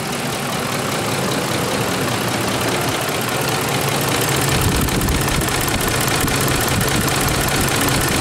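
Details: 2004 Ford F150 with the 5.4 3V Triton petrol V8 at 104,000 miles, idling with a loose, diesel-like clatter before repair. Cause: worn cam phasers; replacing the VCT valves did not stop it, but replacing both phasers with Ford parts did.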